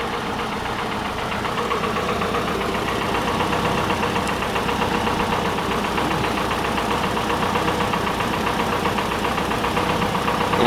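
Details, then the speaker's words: 1985 Chevy Cavalier CS wagon idling after sitting a long time: uneven idle with an irregular tapping stumble that never settles, engine with a known misfire; some fluid also dripping on the exhaust. "Really not running that bad for being sitting so long. Of course, it's got that misfire."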